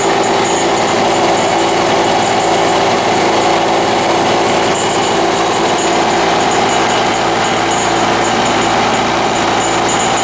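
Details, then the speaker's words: Lawn-Boy 6230 Commercial two-stroke mower, long stored with old oily fuel drained, worn primer: loud, fast buzzing at steady speed with slight unevenness; runs alright but needs carburetor adjustment. "But once it's running, it runs alright. Could use a little bit of carburetor adjustment."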